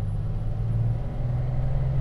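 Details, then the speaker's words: 1939 Lincoln Zephyr V12 coupe on a driving assessment: downshift from third into second, where the engine drone dips and settles with no grind or clash; second-gear synchros are good. A normal synchronized downshift. "Now you notice that it goes down into second gear. Synchronization. Synchros are good."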